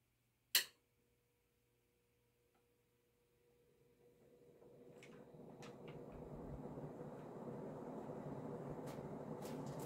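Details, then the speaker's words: Vintage circa-1980 Emerson Heat-Fan HF-136 36-inch industrial ceiling fan, K-63 stack motor, three fiberglass blades, bearings showing slight kickback but decent, switched from off to high: click, then air rush builds to steady whoosh, no grinding; normal spin-up. "So now let's turn it on to do 0 to high. Turn it on high."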